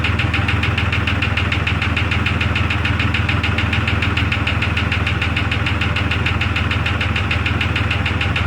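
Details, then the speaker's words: 2002 Jeep Grand Cherokee Laredo restarted in the cold: a constant rapid tick, about three per second, follows the rhythm of a steady idle. Source unknown; owner may tear into the engine. "now i got to figure out the knocking of ticking sound in the engine that's what i'm trying to do now"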